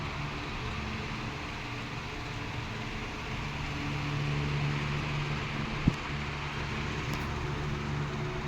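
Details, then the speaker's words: 16-inch R&M Banner two-speed oscillating fan on high speed, drawing about 1.2 A: smooth, steady motor hum and airflow with an even, quiet gear whir. The oscillating gearbox quiets down under load. Normal running. "And here's the oscillation. You hear the gearbox kind of quiets down. Uh, it's because it's got a a load on it."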